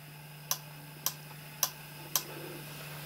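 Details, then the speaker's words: Yaesu FT-817 connected to a Diamond X50, switching to the rear antenna via function button and menu 7: four crisp clicks about half a second apart over a faint steady hum. Antenna relay switching normally. "i've heard the click that's the relay kicking in to tell you going between the antennas"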